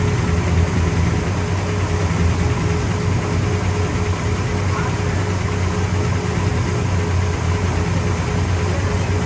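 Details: 1966 Pontiac GTO convertible V8: deep steady rumble with an even low beat, no knocks, misses or ticks; engine sounds healthy and smooth.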